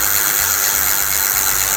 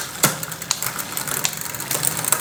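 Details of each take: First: Simple bicycle rear freewheel with plain unsealed ball bearings: harsh gritty high-pitched rasp with fast uneven ticking and noticeable vibration, wheel wobbles; worn freewheel bearing, fault in freewheel or axle bearing. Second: Bicycle freewheel after disassembly and repair of its rough, wobbly fault, tested from left and right sides: quick, crisp, evenly spaced ratchet clicks as the wheel spins, no grinding or odd noises; freewheel now normal.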